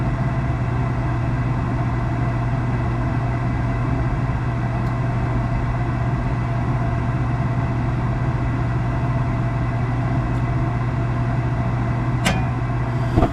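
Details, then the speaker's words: Gas package unit furnace after draft inducer replacement (old one extremely loud), finally lit on heat call: steady low hum with even inducer whir, no rattles or howl; running normally. "And that, my friends, is what success looks like. I don't have any hair left, but we have success."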